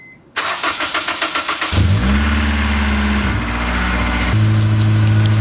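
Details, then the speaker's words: Honda S2000, first start after reassembly with cams installed and timed (car had been burning oil, leaking oil, misfiring): cranks, catches within two seconds, smooth steady idle; started first try, healthy start. "i got the whole thing put back together put in the cams you know time the cams put in the cams and car started first try"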